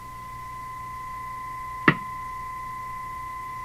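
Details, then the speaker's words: Hammarlund HQ-180 receiver in CW/SSB mode, volume turned up; a single sharp pop over a steady whistling tone, repeating very slowly, rate unchanged with volume; motorboating, cause not yet found. "turn up the volume is it is it that that's got to be the pop there just very very slow now is that because I turned the volume up"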